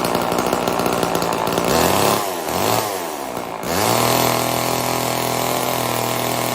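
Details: Old Homelite chainsaw, owner guesses 1960s or 70s, running after reassembly: high buzzing rev sags and recovers a few times, then settles into a clean steady run; pulls fine, owner says tuning could improve it.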